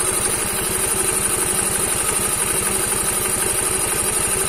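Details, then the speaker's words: Yamaha Mio M3 125 scooter idling with exhaust fitted, after cylinder block, piston and head replacement (the engine had run rough and smoked from running out of oil): fast even patter with a high hiss, noise from the CVT side, cause unclear. "kali ini ada suara-suara di bagian CVT itu aja suara seperti itu di bagian gitu ya"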